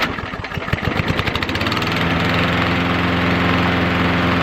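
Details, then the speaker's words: Walk-behind lawn mower that suddenly began running poorly, started on the first pull after fuel and air filter checks; bad spark plug judged the culprit: uneven chugs, then a steady, even drone; normal running. "Much better. Sounds like it oughta. So, not having the full history on this, and she said it was running bad before, but it really sounds to me like the culprit was a bad spark plug."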